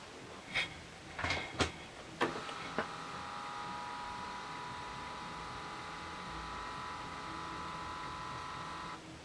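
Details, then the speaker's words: Early-80s (c.1982) Panasonic NV366 four-head top-loading VHS recorder with a tape stuck inside, powered on: a few sharp clicks, then a thin steady unchanging motor whine as the transport labours; at least a belt suspected, possibly more. "near that it's gonna be about oh there's at least a belt might find out there's more"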